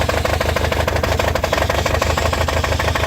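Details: Toyota 22R-TE engine misfiring at idle: uneven thumping idle about two beats a second with stumbles between beats, the lumpy rhythm of a cylinder misfire.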